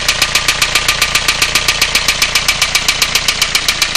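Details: Renault Clio 1.5 dCi diesel, 2002, sharp metallic knock about 2.5 per second, steady at idle; heavy oil found on three injectors and glow plugs, cause not yet found, cylinder head to be removed.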